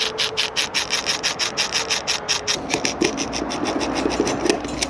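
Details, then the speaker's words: Metabo magazine-fed power tool in its special mode: quick buzzy bursts about five a second as motor repeatedly spins and stops, likened to ABS braking; normal stop-start mode operation. "보셨죠 찍찍찍찍 찍찍찍 그러니까 돌다 멈추다 돌다 멈추다 돌다 멈추다 우리 자동차 ABS 브레이크랑 비슷한 느낌이에요"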